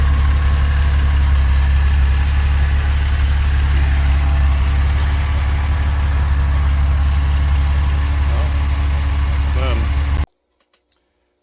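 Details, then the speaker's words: Porsche 996 idling just after UAOS install and first start: steady, deep, even idle hum with no knocks, misses or hunting; engine sounds healthy, job complete. "job's complete. Car started right up. I'm pleased about that."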